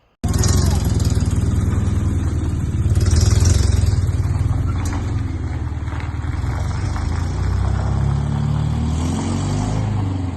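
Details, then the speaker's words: 1989 Toyota 4Runner 22RE after revival, exhaust not yet welded: deep, lumpy note that never settles into an even beat; rough idle. It runs better with the throttle position sensor disconnected but still won't rev properly. "well if you made it this far the 4Runner is not done yet it uh doesn't idle right"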